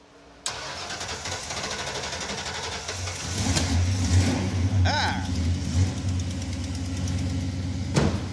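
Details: Ranchero with 302 V8, long-sitting, after brake bleeding and hose replacement: sharp starter catch, lumpy low V8 burble settling into steady idle with oil pressure, no knocks or ticks; normal start and idle.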